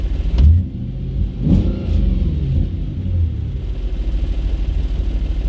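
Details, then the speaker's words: Audi B7 RS4 V8 running: deep V8 rumble with a loose uneven buzzing rattle on top from the unfolded rear seat flaps vibrating in the trunk. "of course I didn't fold that seat up and you can still hear those Flappers from the trunk"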